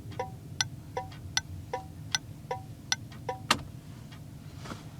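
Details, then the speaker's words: Third of three HM 552 thermal flasher relays (from jaykay18's hoard) tested in place of the factory Tung-Sol 224 on an '81 Chevy, engine off, left-hand turn: crisp, even paired clicks a bit over once a second; working normally. "so let's see what the third one sounds like here's the third 552 leftand turn that one's pretty nice"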